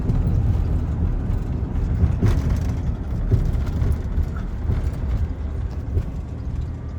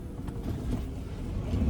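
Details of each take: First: 2000 Ford Ranger 3.0L V6 idling very high and revving with foot off the gas, a fast steady drone; owner suspects sticking idle air control valve; fixed by cleaning dirty mass air flow sensor, throttle body and idle air control valve. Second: 2000 Ford Ranger 3.0L V6 after fixing a high idle by cleaning the dirty mass air flow sensor, throttle body and idle air control valve: steady low idle that no longer climbs.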